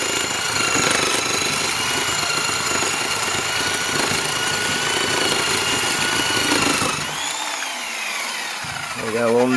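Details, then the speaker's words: Rockwell/Porter-Cable orbital Tiger Saw reciprocating saw, cutting test with an aggressive blade: high motor whine that sags sharply in pitch as the blade bites, then recovers. The motor bogs from the aggressive blade, though the saw still cuts well. "there so you could actually hear bogging down because of how aggressive this blade was but it did sit pretty well surprisingly enough"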